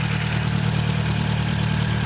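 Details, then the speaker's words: Chevrolet Celta, engine fairly cold, idling after water pump replacement: steady even hum with no knocks, ticks, whine or metallic grinding; the noise, first suspected as alternator bearing, came from a failing water pump and is gone. "aí galera acabou o barulho tá zero bala agora o motor celtinha relóginho"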